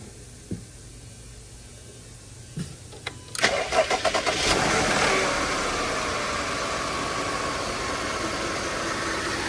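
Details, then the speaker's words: 2015 Jeep Grand Cherokee 3.6 V6 started after water pump replacement (thermostat done earlier), heat on while coolant is topped up; a few clicks, then cranks, catches and settles into a smooth, even idle with no knocks or ticks. "All right, fire it up, turn the heat on. I will continue adding coolant."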